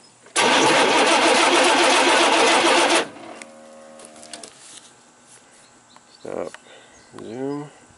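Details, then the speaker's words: 1988 Chevy C500 5.0 V8 truck that died while driving: strong, even starter cranking for about 2.5 s that never catches; no crank signal reaches the PCM, pointing to the pickup coil or the ignition module. "there's no input to the uh PCM and that's pointing us to that pickup coil or the module itself"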